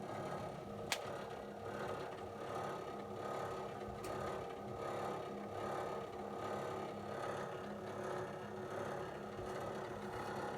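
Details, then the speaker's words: Hercal coil indirect cylinder/boiler: steady droning hum with pulsing vibration and low rumble every time the heating comes on; cause unknown, owner seeks help. "how do you fix that kind of problem because this happens every time when you when the heating comes on you get all these vibrating and kind of like rumbling noise"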